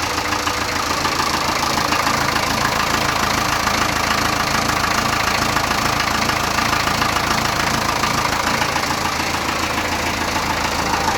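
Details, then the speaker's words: Land Rover 2.25 diesel started after sitting a month, idle raised on the hand throttle: steady, even clatter about three and a half beats a second, no misses, next to no smoke; healthy idle. "it's not even smoking look it's beautiful yeah and stuff's still everywhere so beautiful beautiful lovely yeah i'm more than happy with that how that started there next to no smoke at the back"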